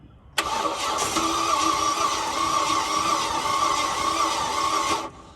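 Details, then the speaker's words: Ford BF XR6 MK2.5 after VCT solenoid change, stalled pulling in; cranked on jump leads, starter spins quickly and evenly, about four turns a second, too freely with no firing, as if no compression; owner suspects engine cooked, unconfirmed. "so if you listen she's it's just spinning over freely like there's no compression at all"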